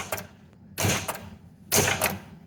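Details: JJP pinball machine after fitting bigger capacitors on the driver board, 71 V flipper voltage, both flippers: crisp sharp clunks in pairs about a second apart as flippers snap up and drop back; coils firing strongly, flips better.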